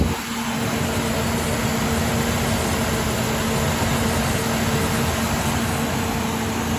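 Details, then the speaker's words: Ford Ranger, first start after resealing the fuel rail-to-lower-intake gasket to fix P0171/P0174 lean codes, computer reset: steady, even, smooth low idle with no knocks, ticks or misses. Sounds healthy. "sounds really good roll the windows down I always try to roll the windows down anytime if far running they don't lock the keys in but I don't hear any major problems I'm not smelling any fuel"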